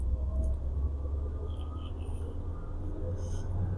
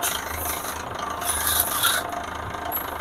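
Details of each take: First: Toyota Avanza Veloz, 30,000 km, road test after repair of harsh noise on pull-away and deceleration (burned clutch plate damper after rear flooding): steady low rumble, no clunks, rattles or whine; drivetrain healthy. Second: Toyota with only 30,000 km: rough, gritty rasping rub from the drivetrain when pulling away and on deceleration or lifting off the throttle; joint coupler already replaced, differential checked fine; output shaft to propeller shaft found off-centre at transmission end.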